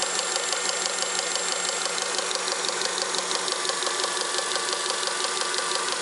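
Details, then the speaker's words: Honda Accord 7th generation idling: fast, fairly even tapping knock under the hood whose source was at first unclear. Power steering pump knock. "во время работы двигателя образовался какой-то подозрительный стук непонятно откуда идет"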